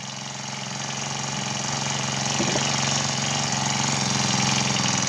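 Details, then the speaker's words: Honda GX35 four-stroke brush cutter with a hard cold-start complaint, started cold without choke in two pulls after cleaning: quick, even putter around four beats a second, no misses or hunting; normal steady idle. "เดินเบาก็นิ่งๆอยู่เหมือนกันนะครับมาลองเล่งดูโอควันไม่เดินด้วย"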